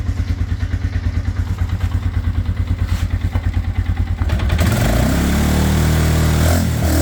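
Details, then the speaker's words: Scrambler motorcycle reassembled after ride repairs, new brake pads, sat since ride with carb possibly gunky: single-cylinder thumping evenly at slow idle about three a second, then revving cleanly without a miss; normal running. "All right, so as you can see, it's all back together. Sounds good."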